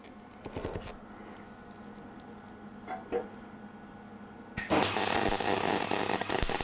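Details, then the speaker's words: Cheap $50 MIG welder on a test piece with gas on: ragged, uneven crackle instead of a steady sizzle; weld still cold from too-low amperage and wire speed. "um I guess it's 60 between man it's still not great it's still a bit cold I'll bump up the ampage and WI speed a bit"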